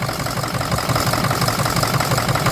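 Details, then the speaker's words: 2006 Ford 6.0 Power Stroke diesel with a lumpy idle and gaps in the firing rhythm. A blow-by check suggests one or possibly two dead cylinders. Owner later suspects the IPR pigtail wiring shorting and blowing PCM fuses caused the rough running. "yeah I'm not running very good so actually sounds a lot better but I know it ain't running right"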